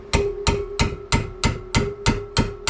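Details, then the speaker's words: 1968 Fiat 850 Spider cylinder head rebuild, valve springs reinstalled after lapping valves: nine crisp taps, about three a second, each with the same clean springy ring, confirming spring and keepers fully seated. "hear that nice springy sound. Bring y'all in. And you can see they're all seated all the way. Nice and seat."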